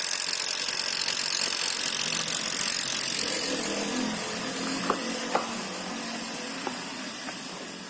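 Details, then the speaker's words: Mazda 2 sedan just after fitting an imitation (non-original) AC compressor, oil topped up, engine running with AC on: rough gritty growl with scattered clicks from the front. The AC cools, but the aftermarket compressor is grinding. "Dingin cuman bunyi kompresornya."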